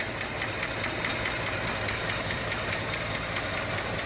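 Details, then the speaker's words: Original 1967 Chevrolet Chevelle 4-door Malibu, 250 inline-6, 3-speed column, idling slightly slow, first start of the day with carburetor suspected loading up: fast light lifter tick that fades just off idle; a couple of lifters not pumping up. "just off idle that tick goes away but then even sometimes it the ticks are a little bit louder sometimes the lifters there's a couple of them that just don't always like to pump up"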